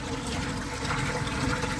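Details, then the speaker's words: Replacement lift pump running on an extension cord: steady motor hum with water gushing out evenly, no knocks or grinding, pump discharging normally. "Donc les amis, la pompe de relevage elle fonctionne. La pompe de relevage elle fonctionne les amis. Super, bon le système il a fonctionné."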